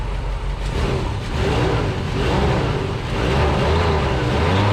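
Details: 1975 Chevrolet C20 3/4-ton squarebody carbureted V8, first start in nine years with a new Quadrajet not yet dialed in, fires and settles into a steady low rumble with slight rev swell; it later bogged and died, with timing suspected; normal running.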